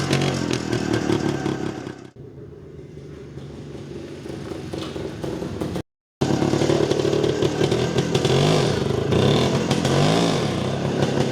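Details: Jawa 250 type 353 two-stroke revving after the cylinder base gasket was replaced: clean, even crackle with the earlier sharp chirp gone; slight bearing rustle still heard despite new bearings.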